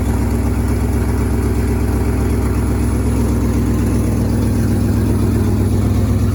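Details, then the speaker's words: 1963 International Harvester Loadstar 1800 carbureted petrol engine, first run in 20+ years: steady, even low idle with regular firing pulses and no knocks or misses, sounding healthy. "Man, she don't sound too bad though. Let's see how she starts back up."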